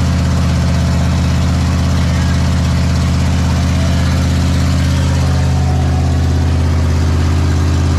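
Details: Big block Ford 460 V8 in a 1956 F-100, running for cam break-in; deep, loud, even rumble at a steady speed, no knocks or misses; normal running.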